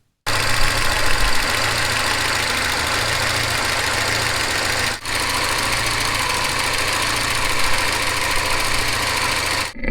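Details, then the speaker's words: Porsche 944 at idle, scanning the camshaft housing after fresh oil and filter change: fast even light ticking over steady idle hum, evenly across all valves; hydraulic lifter tick, lifter two now less distinct, cause unconfirmed. "now the lifter sound is pretty evenly ticking away across all the valves"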